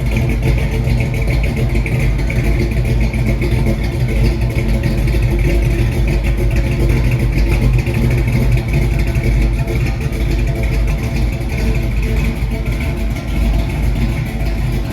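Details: 1968 Mustang with a new 302 roller engine bored .030 over (306), GT40 heads, Z303 cam and C4 transmission: a lumpy, loping V8 idle with a strong low rumble and no knocks or ticks. Normal idle.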